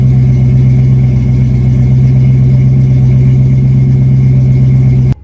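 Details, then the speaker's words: 1976 Ford Granada, 351W V8, completed 3-inch exhaust with 2-chamber Flowmaster and flush tailpipe: deep even idle with strong low rumble, smooth and unbroken, then shut off; healthy, mellow, quieter than hoped. "it's actually a little bit quieter than I was hoping for but it's got a really nice Flowmaster sound and it's not too obnoxious"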